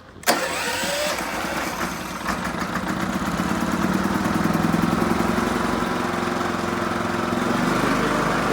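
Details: Onan Cummins generator that cranked but wouldn't start, tested after repair with the covers reinstalled: the engine catches within a second and settles into a steady, even idle with no misses or knocks; normal start and idle.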